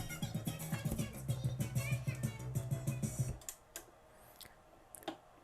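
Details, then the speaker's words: Audio-Technica AT-PL2D USB turntable, customer complaint plays at wrong speed: music rushed and high-pitched at both 33 and 45 RPM because the motor speeds are way off; fixed by motor speed adjustment. "so that's on 33. I'll toss this back on it here maybe it's the Chipmunks album and there's 45 way way fast"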